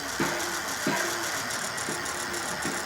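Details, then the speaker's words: Euphree City Robin X+ e-bike riding: irregular light buzzy rattle, roughly a burst per second, from a loose piece inside the frame lock vibrating. Holding the lock stops it. Fixed by gently squeezing the locked lock with pliers. "the noise goes away so it's just something in here vibrating cool concept but that noise will drive me nuts"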